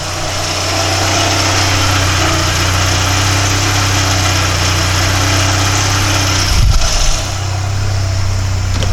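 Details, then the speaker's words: 1993 VW Cabriolet after a new clutch, transmission reinstall, clutch cable adjustment and exhaust leak repair: steady smooth idle with the clutch worked in and out, and no grinding, whine or knock. Running normally. "Clutch in, clutch out. Much better, plus the exhaust leak's fixed."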